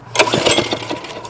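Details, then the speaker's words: 2001 Briggs & Stratton OHV 5 hp chain-drive rototiller being pull-started with the choke on. A few sharp pops and backfires out the tailpipe with no catching. No compression; the owner suspects misadjusted valves. "when you pull it all it does is pops the backfires out of the tail pipe and it has no compression"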